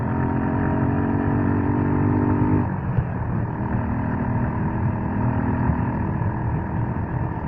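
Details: Suzuki Gixxer motorcycle running steadily with a rough, uneven rattle over the engine note; noisy drive chain, possibly slack or dry, cause unconfirmed.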